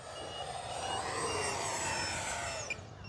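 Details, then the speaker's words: Short high beeps repeating over the loud ducted-fan whine of a 50mm EDF BAE Hawk RC jet in low flight: the battery low-voltage alarm, followed by low-voltage protection cutoff and a dead-stick landing. "okay now it's dead stick so you got to let me do this right so it went to low voltage protection"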